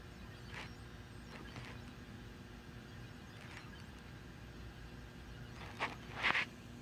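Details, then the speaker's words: Weird noise from a home stereo connected to the TV, heard while Hulu was paused: low steady hiss from the speakers broken by short intermittent squealing chirps, loudest two near the end. "And noise is coming from the stereo. It's connected to the TV. It's a weird noise."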